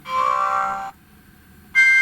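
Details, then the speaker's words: GHD Chronos S8M261 hair straightener: two short beeps with a coarse buzzy edge as the buzzer tone makes the on/off button vibrate; the piezo buzzer sits too close to the button. "yeah you see that sound is making this button vibrate"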